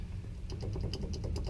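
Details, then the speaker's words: 1989 Ford F-150 differential during rebuild, gears rocked by hand: quick light clicks and clunks about seven per second; worn cross pin and worn-out housing that can't be shimmed leave excessive play; gear itself looks good. "so that's the pen there's a pen that goes there called a Cross Pin and uh it's just got a lot of play in it"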